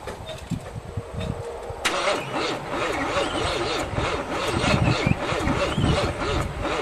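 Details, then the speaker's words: 1978 Monte Carlo 305 V8 in a 1963 Allis-Chalmers loader, parked 5.5 years, third start attempt: cranks, catches and settles into a rough, uneven run; engine turns freely, not seized as feared. "Well, this deserves a celebration. Really thought she was going to be seized up."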